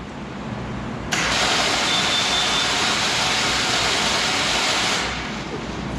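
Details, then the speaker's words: Abandoned Jeep after its first run in 24 years: steady high starter whir for about four seconds with no cranking beat, starter not turning the engine over; owner suspects a faulty ignition switch. "on it's not turning the motor over yeah when it was going fine and you hear the starter grinding and then when you shut it off that bangs really loud"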